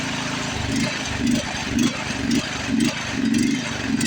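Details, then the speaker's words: Toro Time Cutter mower that only ran on choke, after a new inline fuel filter: small single-cylinder idle rising and falling about twice a second, surging persists; carburetor suspected. "Still got that surge. So I don't think we're going to do anything with the surge."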